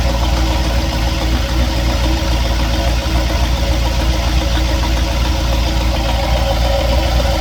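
Steady idle with a dull, fairly regular knock about three or four times a second riding over the engine; cause not clear.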